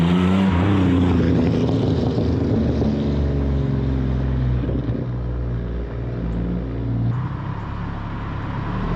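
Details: Supercharged Pontiac Fiero drive-bys after replacing a faulty fuel injector, car still a little cold: the engine note rises and falls clean and even, with no miss or stumble; it runs a little better and stronger than before.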